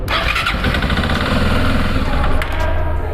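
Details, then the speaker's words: Motorcycle starter system test, starter motor energized with polarity pen on its positive terminal showing red light: steady, even starter whir with strong low hum, no grinding or clicking; normal starter cranking. "Assim que eu acionar, vocês vão ouvir o barulho do motor, porque agora o sistema está funcionando, mas vão ver também a luz vermelha acendendo."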